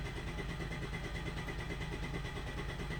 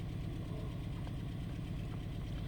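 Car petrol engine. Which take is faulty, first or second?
second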